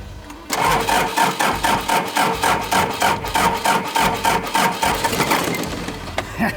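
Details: Daihatsu Scat 4x4 diesel barn find, sat 15 years, injectors just bled with fuel, glow plugs possibly not working; steady uneven cranking about three to four per second with a few stronger puffs as it tries to catch: cranks but does not start.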